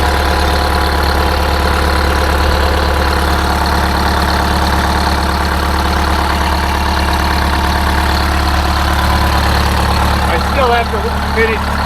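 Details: Detroit Diesel 8V-71 idling after a new starter (part 6924N) was installed: deep, smooth idle with a steady, even beat and no knocking or stumbling; healthy.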